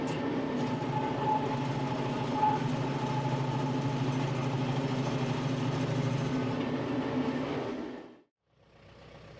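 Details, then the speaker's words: Baumalight 3P38 three-point stump grinder on a small tractor, running under load: an even, heavy churning roar holding steady for about eight seconds without bogging or stalling, then winding down; normal running. "but I never had had any of those problems today running this grinder"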